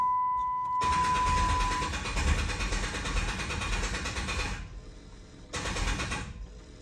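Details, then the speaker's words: 1500 hp Cummins project, cranking to build oil pressure on first start; uneven, labored cranking about three beats a second that stops and restarts: slow crank from poor main battery ground. "we're just gonna crank this puppy until we get some oil pressure it's gonna be quite stressful not gonna lie this battery is just hating life"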